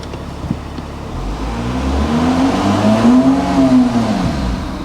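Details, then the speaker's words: VW Touareg automatic: revs climb toward about 3000 before it pulls away, then settle; won't move until revved hard. "It doesn't want to move until you get it up to like 3,000 revs."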